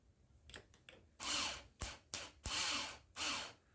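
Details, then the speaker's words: 50cc scooter starter motor bench-tested on temporary wiring: four short, high whirring bursts, each spinning up freely and evenly, turning a screwdriver; the starter works fine. "okay it's spins the screwdriver just there you go you can hear it good enough"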